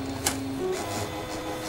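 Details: Epson SureColor P400-based A3 DTG UV flatbed printer with errors 52H/71H: page-feed (PF) motor turning clockwise during initialization gives a soft steady whirr, faint ticks and a feed-roller pulse; sounds normal and healthy.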